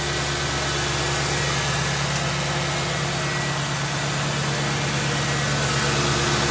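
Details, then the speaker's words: Ford Crown Victoria V8 after oil change to cure a ticking noise, a few metal flakes in old oil: smooth even idle with no ticking over the steady hum; tick gone. "I'd say that's pretty good. I didn't hear it ticking at all at the end."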